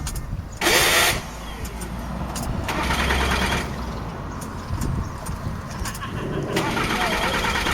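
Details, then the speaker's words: 2007 Jaguar X-Type 2.2 diesel, intermittent no-start: starter cranks in bursts but never catches; crank sensor signal being pulled down by the ECU, not the sensor. "that's what it disconnected so it's not the uh the sensor it must be the ecu that's pulling this down"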